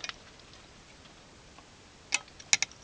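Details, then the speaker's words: Simple transistorized short-circuit protection circuit with a 12 V 30 A automotive relay and a 24 V lamp load: sharp dry relay clicks, a single one then a quick pair, as the shorted load trips it off; reset by briefly removing supply voltage. "when we remove the power supply voltage the whole circuit is reset and it works again and when we shortcut it again"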